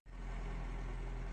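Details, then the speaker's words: Opel Astra F 1.6 C16SE after replacing a noisy water pump and the timing belt and setting the timing: the engine catches and settles into a smooth, steady low idle with no whine, rattle or grinding. Previous noise gone. Normal idle. "arabamız çalışıyor gacır Gucur ses yapıyordu Şimdi çok şükür Herhangi bir ses yok"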